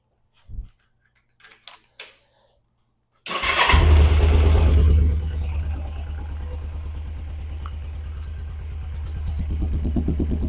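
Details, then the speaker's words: Cold start of a 1991 Suzuki GS500E twin on stock exhaust, revived after two years under a tarp with new tank, cleaned carbs, new plugs, oil and battery: clicks, fires straight up, even slightly raspy dirt-bike-like idle; normal. "So, yeah, sounds like a dirt bike. Sounds like your uh typical CRF150."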